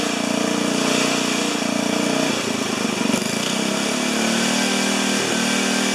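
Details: 4HP horizontal Briggs single-cylinder, first start: races high and surges with wandering pitch, nothing holding it; governor not connected to the throttle arm.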